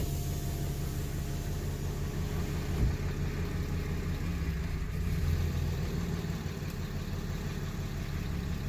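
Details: 2018 Ram 2500 diesel just after DIY fuel filter change, fuel level not yet back to normal: settles into a low, even idle rumble with no stumbling or surging; runs healthy.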